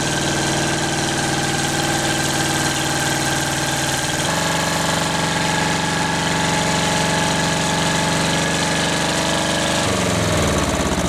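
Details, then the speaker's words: 1938 Caterpillar D13000 pony motor, first start in years after water found in the block and a broken line found: small engine firing steadily with an even beat, dropping speed twice and settling each time; runs clean. "all right okay folks so we got the uh pony motor running pretty good"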